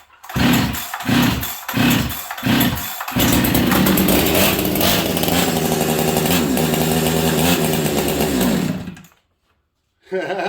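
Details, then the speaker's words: Husqvarna 385 chainsaw, long-shelved and very dirty, idle turned up: a few pull-start bursts, then a harsh, uneven high rev that hunts and surges under throttle; lean running suggests a massive air leak, suspected not confirmed. "well it's taking throttle six sounds like it has I don't even know massive air League interesting"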